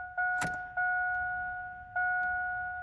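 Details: 2000 GMC Sonoma ZR2 at key-on after the battery cables were tightened: a steady two-note hum near 700 Hz cuts in and out as the fuel pump primes, sounding strained and weak, judged not good.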